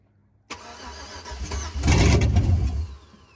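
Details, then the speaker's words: 2005 Chevrolet Suburban LS donor, first start attempt, shown out of gas earlier: starter cranks steadily about two seconds with a brief rough surge then dies; crank, no start, no throttle applied, earlier backfire with pedal. "now when you're giving it fuel it doesn't do anything right"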